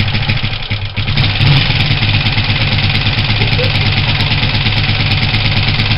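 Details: Honda CG125 project bike, first start after rebuild with new pod filter and fuel, flat battery: single-cylinder thump settles into a steady, fairly even idle with no knocks or misses; runs normally.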